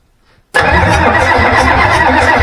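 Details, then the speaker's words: Ford 7.3 IDI diesel from a 94 F350, test-run out of the truck with a new turbo-spec injection pump and injectors, lift pump on, lines loose for bleeding: even compression cranking, never fires. The fuel shutoff solenoid wasn't turned on. "Hey, we got to turn the fuel solenoid on."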